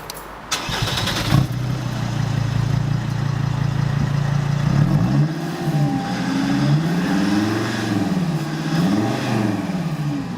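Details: Mercedes CLK 270 five-cylinder diesel: a quick crank and catch, a deep steady idle, then smooth revs. It sounds deeper than the four-cylinder C220, and the engine is healthy.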